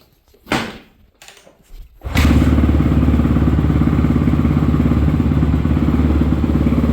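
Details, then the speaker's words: 2014 Honda CRF250R dual-exhaust single-cylinder dirt bike, previously shut off while riding, after rebuild: barks to life and settles into a steady even idle thump with no knocks or clatter; normal running. "Man, that sounds much better."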